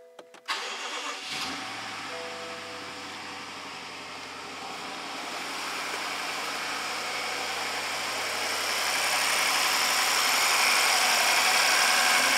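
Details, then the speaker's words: 2014 BMW 650 with N63 engine after repair of failed timing and two new injectors, cranked with a jump box; short crank, catches cleanly, settles to an even idle with no rattle or tick: normal start and idle. "good starts to run brought back to life no weird noises"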